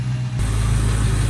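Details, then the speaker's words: 2003 Ford Mustang GT after new MSD coils and spark plugs fixed a bad misfire: low, even hum with steady beat and no stumbles; idles smoother, obvious misfire gone, owner suspects airflow sensor for any remaining misfire. "seems to be running a lot better all right so I'm about to take this thing around once see if I feel any difference seems to be idling better better than it was I will say that the misfire the obvious misfire is gone"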